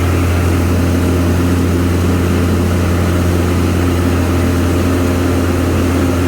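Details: Craftsman Z530 zero-turn after deck repair (deck re-secured): steady, even low drone from the engine and blades with no knocking, squeal or grinding. Normal running.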